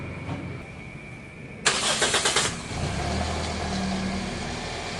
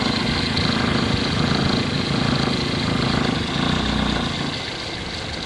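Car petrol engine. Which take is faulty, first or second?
second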